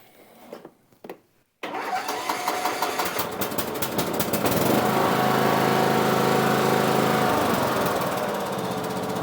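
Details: Cub Cadet riding mower after loose negative battery cable fixed and corroded positive terminal cleaned: a few starter clicks, then it catches and settles into steady, even running, no misses or knocks; healthy.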